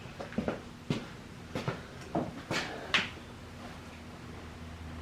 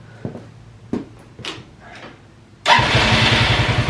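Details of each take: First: Free roadside ATV with a starter button that overheats gives scattered weak pops while cranking, then catches into a ragged run that can't settle; the carb can't pull enough fuel from the tank, so starting fluid is to be tried next. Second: Free ATV quad after cleaning fuel tank, blowing out and replacing lines, fixing fuel shutoff, carb untouched: a few clicks, then catches at once and settles into steady, even idle; normal start and idle.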